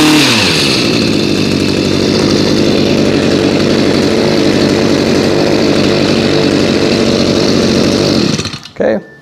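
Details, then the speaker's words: New two-stroke unit, cold start around 30°F after about 5 months stored on ethanol-free fuel without stabilizer, choked and primed: high even buzz held steady about eight seconds, then clean shutdown with no bogging or surging; normal running. "good no surprise from a new unit"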